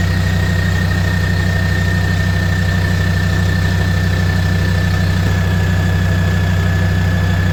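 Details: Land Rover Defender 130 TD5 diesel, first start-up after fuel system purge and bleeding, now starting straight away; steady, even idle with smooth low chug at constant speed, no misses or knocks: normal healthy idle.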